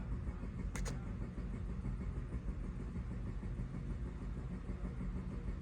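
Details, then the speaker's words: Mazda CX-5 petrol engine after replacing the mass airflow sensor and air filter (lean and MAF codes P0101/P0102/P0113/P0171, previously shaky, choking idle): steady, even low rumble with no stumbles or surging; normal idle restored. "But now since we put in the new mass airflow sensor and change out the filter, the engine's back to like normal idling."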